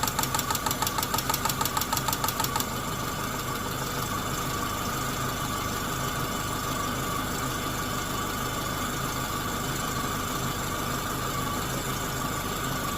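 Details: Chevrolet Corsa Montana 1.4 sedan engine at steady idle with a rough, fairly regular knock around a hundred-odd per minute over busy top-end ticking; owner asks what the noise is, source unclear.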